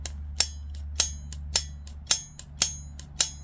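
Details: BMW X5 E53 driver exterior door handle carrier, removed from the door: crisp metallic snaps roughly every half second, each ringing briefly, as the handle springs back firmly; return spring works properly.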